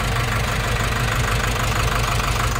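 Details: Nissan NV350 diesel with heavy engine vibration and no check engine light: lumpy, shaking idle with an uneven low beat and a missing pulse.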